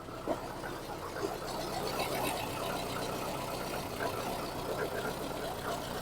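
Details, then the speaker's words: Injected VAZ 099 (ВАЗ 099), warmed up, after swapping a spark plug and checking the coil: idle still harsh and uneven with stumbles, one cylinder dropping out (misfire); plug swap changed nothing; cause not found. "ну робота почала мінятися он видно начинає ковбасить он не знаю чутно чи ні Ну вона вже і прогрілась Ну все одно робота така ее жорсткувата"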